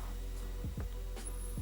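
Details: Microlab PSU 360W switching power supply board, out of its case: a thin, steady high whistle over low mains hum, apparently from the standby circuit; parts swaps didn't help, and joining the low-voltage and high-voltage grounds cured it.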